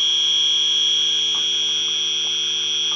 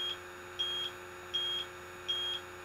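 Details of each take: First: AC evaporator coil leak search, system low on refrigerant: a continuous piercing alarm from the detector held behind a line at the coil, where oil was found; refrigerant leak confirmed, one of several at the evaporator. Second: Electronic refrigerant leak detector held away from the air conditioner before evaporator coil leak search: slow, even high-pitched beeps about every three quarters of a second; detector settled at baseline.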